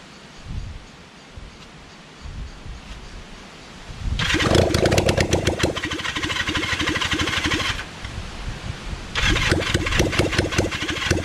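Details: Kawasaki Zephyr 750 under restoration, carbs just fitted after ignition fixed, cranked outdoors with a bit of choke: starter whirs in long bursts, engine chuffing evenly but never catching. No-start because the fuel tank had run empty.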